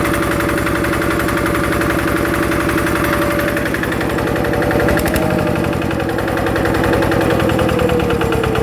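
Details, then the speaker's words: Yanmar TF85 LM single-cylinder diesel after a rebuild with the side cover O-ring replaced, gears good, original piston rings kept; the owner says it burns no oil, with slight exhaust smoke. Even thumping with no knock or rattle: normal smooth running. "อ่ะเสียงก็ประมาณนี้นะครับแต่ใครอยากได้หรือรับสภาพได้ก็โอเคนะครับ"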